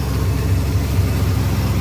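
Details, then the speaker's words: Engine still on some old gas, idling with a little smoke seen cooking off: uneven, lumpy idle with a wavering beat; owner suspects a mild cam or flooding, cause not yet known. "Motor's running a little funny."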